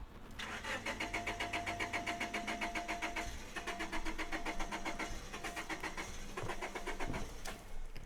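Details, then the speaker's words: Honda Civic EK hatchback after tune-up, bouncing off rev limiter when floored; after ten minutes of good idle following a drive, starter cranks steadily three to four turns a second, stops, cranks again without catching: crank no-start when hot. "As you guys just heard, car was cranking over and will not start. Basically, same thing just happened that happened the other day."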